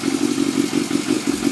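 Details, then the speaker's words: Yamaha FZS600 Fazer with an ignition fault, idling on its stand with carbs needing cleaning: steady, even pulsing at about six beats a second, no misses or knocks; it idles fine, and the electrical fault shows when it is rocked off the stand. "it sits and idles absolutely fine but if I take it off its stand and move it well I'll show you"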